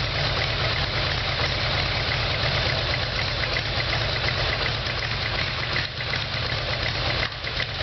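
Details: Harley-Davidson Evolution Sportster, exhaust pipes hot, started without starting fluid: uneven, loping V-twin idle with a ragged beat and muddy exhaust note; rough idle, plugs later found carbon-fouled, low compression suspected, problem ultimately the carburetor.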